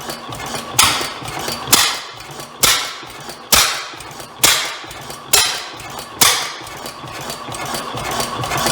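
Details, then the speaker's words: Rare old Bovard & Company single-cylinder engine, thought to be assembled from two engines, on a first start attempt after compression was leaking past a valve. Sharp, uneven bangs about once a second; possible exhaust issue or backfire, hard to adjust. "so uh so well we have ignition um may have a little bit of an exhaust issue there did that backfire of course it could also be uh it's hard to adjust a little bit so it's not quite pretty tickled"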